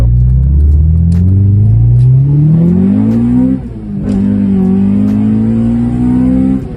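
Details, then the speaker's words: Honda B20 VTEC with an upgraded gearbox, driven hard. The engine revs with a whine rising alongside it, then eases and pulls again, worst in third gear; gearbox whine judged bearable. "That's a bad wine though. Not that bad. Like that's bearable, man."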